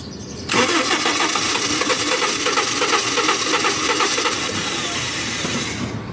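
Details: Starter relay bypassed and jumped with key on during fuel pump troubleshooting: starter churns with uneven rapid beat for over five seconds, never catching a steady idle; owner suspects something stuck and plans to pull the intake, fuel pump suspected.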